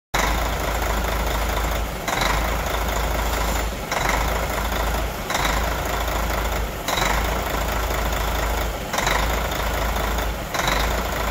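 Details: Hyundai New Powertec L-engine truck diesel at idle, misfiring and stumbling about every 1.5 seconds; caused by an engine wiring problem.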